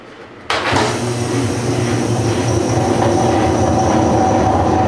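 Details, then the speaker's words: GE washer starting: loud heavy rumble with rough clacking about four times a second; bad bearing, transmission needs replacement. "What I have for you is I have a General Electric washer that has a bad bearing, and this is what it sounds like."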